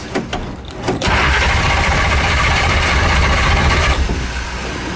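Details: Shelby Daytona cold start after sitting 3 months, pedal pumped: short uneven cranking, then the engine briefly roars for about three seconds and fades. A hard start that nearly catches.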